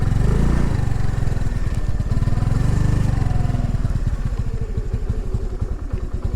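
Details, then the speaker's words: New 2022 Honda NAVI carbureted single in freezing weather, after about a one-mile ride: a lumpy, uneven putter that sags and stumbles as if about to die; the idle struggles to stay running. Carburetor mixture suspected, not confirmed. Rough idle near stall. "it's trying to die again so i can bump up my idol a little bit more"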